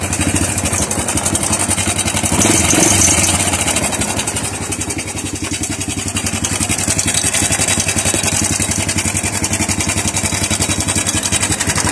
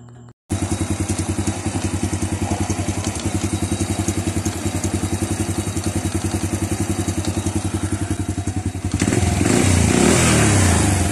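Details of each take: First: Honda Wave 100 idling with a loud, fast metallic clatter from the cylinder head: the cam chain slapping because the roller guides were crushed. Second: Honda Wave 100 after repairing a top-end rattle from the cylinder head caused by worn timing chain and roller guides: steady even single-cylinder idle, then a clean rev, with no rattle.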